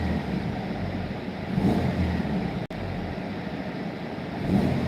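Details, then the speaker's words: Turbo car on the dyno during pulls, under load: rough, puffing exhaust note from an exhaust leak at the turbo flange, which isn't flat; the leak is to be fixed after one more pull. "Yeah. Exhaust leak. Of course, there's an exhaust leak. Yeah. Well, that flange on the turbo isn't flat."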